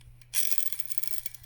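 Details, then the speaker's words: Hand-spun Echo 1 airsoft gearbox after reshimming gears: dry, airy whirr fading as it coasts, no clicking; owner suspects improper shimming or gear meshing, or axle-to-bearing wobble from worn bearings, cause unconfirmed. "you hear that now that could very well mean that something is not shimmed properly there could be a several different things meshing between the gears"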